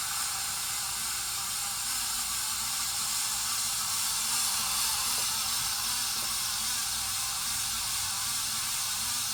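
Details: 53" Casablanca Spirit of Saturn ceiling fan, recorded 2018 before bearing replacement: steady dry hiss with a faint rough scraping churn and no motor hum; bad bearings, later replaced.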